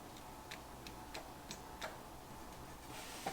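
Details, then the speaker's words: 1964 Chevy Impala, 283 V8, Powerglide, off the road 28 years: faint sharp clicks about three a second with no cranking; starter clicking but not turning, suspected from the broken starter nose cone and poor battery cables. "see if it turns got a lot of starter issues lately so and by bar fight i mean that uh starter got its nose cone broken"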